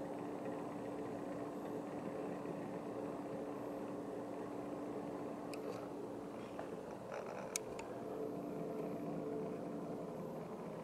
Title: Epson Powerlite 8350 projector with defective Auto Iris Unit Grinding Noise Rattle Broken Part 2